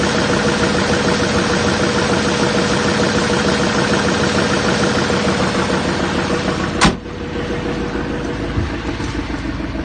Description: 2007 6.6L lmm Duramax Diesel engine knocking parked at idle Chevy 3500 Silverado truck with GMC Sierra front clip. Crankshaft bearing won out.